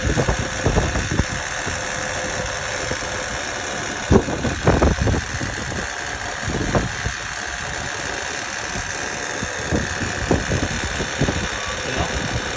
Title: Honda Odyssey 2008 EX engine noise after changing timing belt